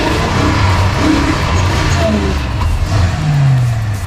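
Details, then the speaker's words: Ford big block V8, just started after pumping with clutch in: lumpy, uneven, stumbling rumble that never settles. Rough running; owner suspects it is out of gas, unconfirmed. "oh that is not glorious at all it's probably out of gas"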